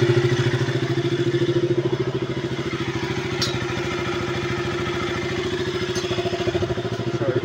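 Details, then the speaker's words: KTM RC 200 single-cylinder after top overhaul, valve clearance corrected by replacing two shims: even steady idle thumping with only faint normal valve tick, no loud ticking; normal idle. "So after na na-b clearance o na po yung andar ng motor. So so far nagnormal na siya. Hindi na siya katulad kanina na parang ang lakas-lakas ng lagitik. Normal naitik na lang to."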